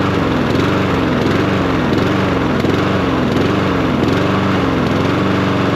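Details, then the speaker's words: Troy-Bilt 21in self-propelled mower with a Honda GCV160 engine that runs only with the choke taped on. It runs rough on full choke, the note wavering up and down instead of holding steady, from a clogged carburetor. "And the problem is it won't run unless the choke is on. And so actually what they've done is uh used some electrical tape to tape the choke in the on position so they can get your yard mode."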